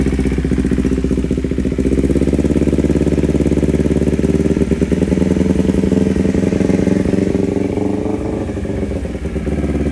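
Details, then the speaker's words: Kawasaki Ninja 250 carbureted twin before repair, complaining of hesitation, limping throttle and high fuel use, with the air filter open and the mic moved toward the airbox: an uneven, lumpy idle with a fast ticking pulse of three or four beats per second. Strong vacuum pulsation; carburetors likely out of sync. "Oke, coba kita perdekat ya perangkatnya ke filter udara. Itu bantingan vakum terasa banget."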